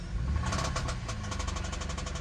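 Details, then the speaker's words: Honda mini truck at auction, AC off, light revving: quick regular ticking over the engine note rising with revs, loud top-end tap, barely audible at idle but heard on startup. "she is tapping really good so all right guys I guess we are gonna go on to the next one"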